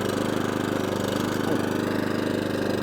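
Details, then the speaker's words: Atco/Allett Kensington 14SK mower, Kawasaki FJ100D engine, after a carburetor clean, off choke: steady, even drone at full throttle holding revs with no hunting or surging; running healthy. "Full throttle. Lovely. Onto idle. Lovely. Back to full throttle. Lovely. No hunting. No surging."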